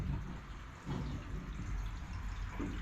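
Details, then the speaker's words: Open-vented commercial heating system, iron pipework probably 60 years old or more, boilers switched off: steady low rush of water as the cold feed keeps refilling the tank, replacing water pouring out of a hidden leak somewhere along the pipe run. "can you hear it so that's basically what it's losing yeah it's pouring out somewhere it's pouring out somewhere it must be through there"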